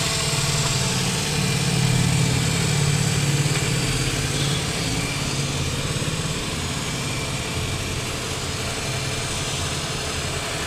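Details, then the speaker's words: Renault Kwid three-cylinder petrol engine, after a head overhaul and new piston rings to cure misfire, low pickup and poor mileage, starts and idles with a steady, even low thrum, no knocks or misses. "Finally हमारी गाड़ी हो गई है start और कोई back compressor नहीं"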